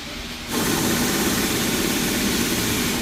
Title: engine knocking